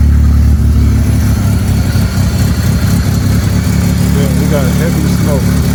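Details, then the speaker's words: 1999 Mitsubishi Eclipse at its first start in 2 years, after a wiring harness patch and new ECU install: a deep idle that stumbles and surges irregularly, with heavy smoke from the headers; rough running, cause unknown. "it's rough I don't know why it's rough hold [Music] on it's rough but it started it's really rough it's really rough"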